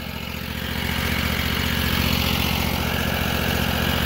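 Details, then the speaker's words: Predator 670cc V-twin on a 2021 pressure washer build with a replacement Honda fuel pump, started after six or seven cranks. Steady, even idle with a regular low thump around 220 per minute, no misses or knocks; normal. "like I said make sure your uh quarter key is not on there but we got it pumping right now it's at idle"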